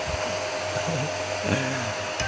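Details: Home-built 15 A CT 55 power amplifier with cooling fans and an MCRD V2 driver, tested indoors: steady even airy rush with no rattle or pulsing; the fans sound normal.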